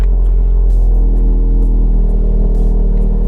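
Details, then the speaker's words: Ford Focus RS Mk3 on an MSD420 custom map, just after new spark plugs replaced old plugs with opened-up gaps: deep, steady, even rumble with a regular beat and no misses or rattles; normal idle. "Sounds good. So plugs are good."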